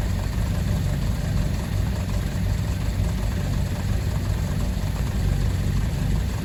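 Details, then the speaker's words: Fiat 147 carbureted engine after a new electric fuel pump replaced the mechanical pump: steady low idle with an even buzz from the pump. Fairly noisy but running smoothly. Normal electric fuel pump operation. "Creo yo que tiene el mismo principio de funcionamiento que una bomba mecánica, que la que tenía anteriormente, ya que se puede escuchar que hace bastante ruido."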